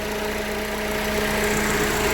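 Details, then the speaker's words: 2013 GMC Terrain after engine rebuild following broken timing chain and balance shaft damage, about 15 minutes after first start, warm: steady, even idle, smooth hum, no knocking or leaks; an issue still needs diagnosing. "for the most part the bulk of it is we're good we're good it's not knocking"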